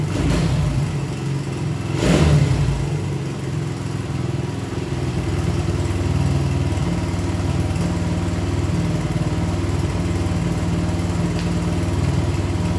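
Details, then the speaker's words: 1975 Honda CB125S single, first start in 15 years after barn storage, timing not yet adjusted. It keeps running after a blip but the low thump wanders and stumbles; clearly out of tune. "i still gotta adjust the timing and other stuff to get it all right so anyway you see it's a runner um anyway i'll get it all tuned in so it fires up better and runs better"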